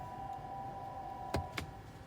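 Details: New 2022 Honda CR-V Hybrid AWD, stationary: loud steady mid-pitched hum in reverse, neutral and drive, quiet in park, louder in reverse, broken by shift clunks; present about 90% of the time, cause unknown, going to dealer.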